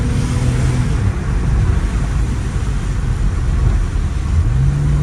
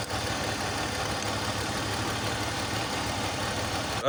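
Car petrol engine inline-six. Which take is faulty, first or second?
second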